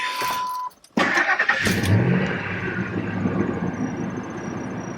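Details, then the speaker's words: 2000 Ford Expedition 4.6, after replacing ignition coils and spark plugs to fix a cylinder 1 misfire: brief crank, then clean catch and an even, smooth idle with no stumble or skip; running healthy. "oh yeah that took care of it she's smooth now oh baby beautiful she sounds good"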